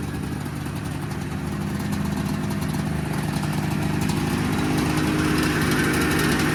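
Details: 1979 Yamaha SRX snowmobile two-stroke after fuel and cooling system work and fuel pump issues, first run with cooling system hooked up: even buzz building steadily in loudness, no misfires, rattles or surging; normal, healthy running.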